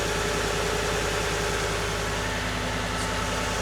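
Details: 240,000-mile Ford F-150 V8, true cold start after sitting, after new spark plugs and air filter: smooth even idle with steady low pulse, coming down from high idle, barely any shake, no misses or knocks; healthy.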